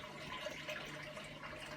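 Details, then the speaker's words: Hotpoint Aquarius WMA32 1200-spin washing machine, which had stopped after agitating twice without pumping out, now on spin-only/fast spin after a quick agitate: a soft steady hum under running water, no grinding; drain pump emptying normally. "so we've done a quick agitate there it is pumping out"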